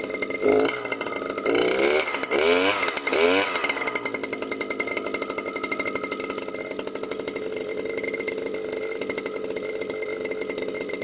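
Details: New Stihl FS 120 two-stroke trimmer that wouldn't start after break-in, running after its faulty spark plug was replaced with a motorcycle/scooter plug: revs up briefly, then settles into a steady, even high-pitched buzz with no stumbling.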